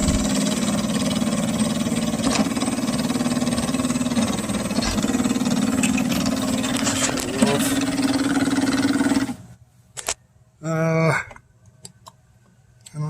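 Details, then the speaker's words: Dolphin S 300i robotic pool cleaner that won't move, motor good after earlier seized-bearing repair: motor whirs steadily with a fast rattling click several times a second, then cuts out; drive gear skipping, suspected loose or worn gear. "it's skipping so I have to foreign take it apart and see if something's looser something you can see that's moving there"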